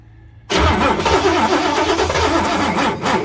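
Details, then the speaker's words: 1967 Ford F100 with 429 big-block V8, being revived with fuel squirted in and distributor position being adjusted: starter cranking breaks into a loud, ragged kaboom as primed fuel lights off, a backfire; timing possibly way off. "hold it hold it kaboom try that we got some gas in there now"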